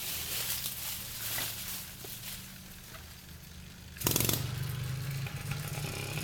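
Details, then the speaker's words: Motorized bicycle two-stroke engine with new high-energy CDI powering two coils on a twin-spark-plug cylinder head; catches at about four seconds, settles to a steady even buzz, running better than with single plug ignition. "I'm psyched that runs great is that the higher energy is it twin plug maybe a little of both I don't know but it runs better than with the single plug single spark ignition"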